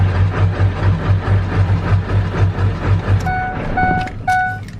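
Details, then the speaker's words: Ford diesel truck, first run after fuel system purge with many air bubbles, white smoke: uneven, lumpy idle pulsing about twice a second, sounding like it's running on only a few cylinders; cause not yet found. "There's white smoke and it sounds like it's only running on a few cylinders. I don't like that noise."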